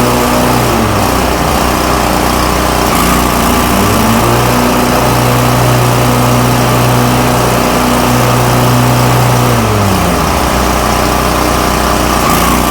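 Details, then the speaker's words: Toro Titan MX5400 with Kohler Confidant 23 hp V-twin after an ignition coil replacement, cutting under load: strong, even engine note holding steady with good blade speed and no bogging or rough running; fixed. "Back to full power. This thing is running great. The blade speed's good. No more bogging. No more running rough or sounding weak."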